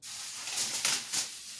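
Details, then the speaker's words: Ion lifter tethered and carrying a small motor, powered by a miniaturized flyback driving a voltage multiplier: high, airy hiss with louder surges and almost no low end, corona discharge from the multiplier's eighth stage; dielectric grease then applied to quiet it. "something I noticed was when I was running on my six stage output of the multiplier the eighth stage was actually having some Corona discharge so that's why you actually hear the hissing"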